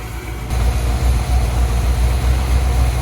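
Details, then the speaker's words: Dodge Prospector truck just after motor swap, warm with thermostat open, water pump still leaking: deep, steady low rumble with an even beat and no knocks or rattles; engine idling normally. "Everything seems alright."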